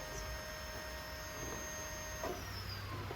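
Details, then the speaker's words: EcoBoost-swapped Fox-body Mustang, electric power steering pump at full speed after roughly 20-second ramp-up, wheel being turned; steady quiet even electric whine; power steering working normally. "so now it's basically getting up to full full tour and then if you steer it oh sorry pup sorry purp we have power steering now that's kind of cool"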